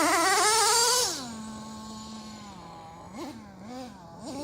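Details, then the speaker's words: Traxxas T-Maxx RC truck, Dynamite .19 nitro engine on 30% fuel, slightly rich rough tune: revs then settles to a steady idle that stays fast with short blips; transmitter lacks throttle trim, so high idle from throttle held slightly open. "my transmitter has no trim for throttle on it, so it holds my throttle open ever so slightly. That's why the idle sounds like it's a little bit high."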